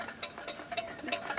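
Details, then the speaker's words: 1944 EMMCO Type A.Z. watthour meter (20 A, 460 V, 50 Hz, 1 phase) shaken after transport: sharp metallic clacks as the loadwheel disc rattles off centre in its bearings and scrapes. It needs bearing adjustment and centring. "kind of hear the Loadwheel rattling around there, so I'm going to have to adjust the bearings and try and get this thing to centre."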